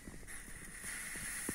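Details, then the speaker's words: FIF 6285 steam generator iron, boiler cap undone gently after a short cool-down, giving a thin steady hiss as trapped steam pressure escapes. The heater works. "i definitely know that there is pressure because when i undo it very gently you have to be very careful"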